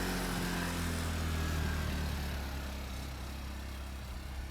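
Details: 1000 W Honda generator (29 lb) on e-bike trailer charging both battery packs, heard from about 20 feet: steady, even low hum at constant pitch fading gently away; runs smoothly under charging load, normal.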